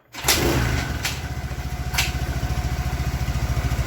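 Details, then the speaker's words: Suzuki Nex fuel-injected scooter after rebuild with new piston (old piston destroyed from running low on oil, causing white smoke and rough sound): catches after a couple of thumps, settles into quick, even putter, no knock; smooth healthy idle. "Suzuki Next sudah jadi ya teman-teman. Ini hasil akhir, suaranya juga halus."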